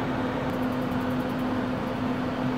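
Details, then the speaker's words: RV propane furnace in a cargo trailer after switching propane tanks because of valve problems: steady blower whoosh with an even low tone and no misfire pops. Burner lit with a blue flame. Normal furnace burner ignition. "there the flame is going was going it might take a second to draw the uh fuel into the line"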